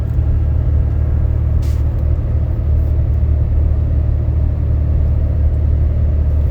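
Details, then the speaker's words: Inside the cab of a 2012 Dodge Ram 6.7 L Cummins diesel, deleted (no muffler, DPF or cat, EGR delete), 4-inch turboback exhaust not dumped, H&S Mini Max stock tune, climbing a slight grade: low even rumble, no drone, almost whisper quiet. "and it's almost whisper quiet in here. I mean, it's amazing."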